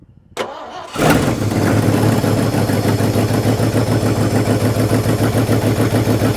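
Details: Scrap-built carbureted gas dump truck, first start in a long time: cranks, catches, settles into lumpy uneven idle pulsing about three times a second. Owner suspects timing slightly off or big cam; unconfirmed.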